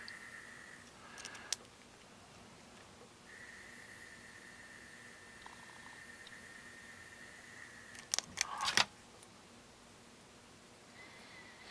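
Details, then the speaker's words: Harman Kardon HK3270 receiver volume motor, bench-run at about 1.6–10 V after cycling to clear suspected dried-up grease: thin, steady high whine between handling clicks; motor turns smoothly and freely. "I don't know what to make of this motor is working great I think it was just maybe dried up grease"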